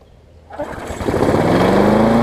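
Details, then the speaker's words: Craftsman 22-inch push mower, about 2008, with a Briggs engine, after repairing the safety cable and adjusting the carb linkage spring someone had messed up: it fires and climbs to a high, steady buzz, possibly running a bit fast. The owner thinks this is because the spring is warm. "as much gas, but cranked up, running pretty good. Might run a little fast, I think it's just because the spring is warm."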